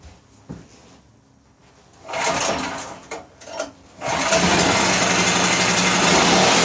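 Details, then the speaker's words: Powerwise 3500 W 120/240 V generator after carburetor broken-jet repair: a few hard pulls, then it catches and howls at a steady too-high speed without settling; overspeeding, governor found to give no action, owner suspects someone tampered with it. "so sure sounds like it's running too fast yeah the uh do some looking here maybe somebody is a mess with the governor"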